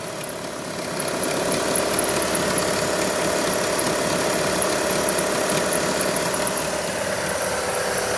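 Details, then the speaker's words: 2003 Kia Optima 2.4L idling: steady light ticking, popcorn-like popping and clicking about three a second from the engine bay, noticed at startup and on throttle, traced to worn alternator bearings, not timing belt. "timing belt no ah that's what it is that old alternator is clicking and popping"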